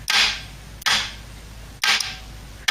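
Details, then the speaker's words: Ford Cortina A4LDe automatic gearbox kickdown circuit on bench, 12 volts applied: four sharp clacks about a second apart, each ringing off briefly, main solenoid firing then relay switching to hold; working as intended. "about hear it and this is the end result holding there"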